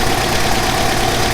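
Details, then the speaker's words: Revived abandoned Mazda 929 HB coupe warming up, heat-cycled to temperature after fixing a rusted Welch plug in the block, which isn't leaking; smooth steady idle, no misses, knocks or ticks, no smoke after earlier flooding. Normal idle. "the longer it runs the healthier it sounds it moves back it moves forward can't ask for more than that"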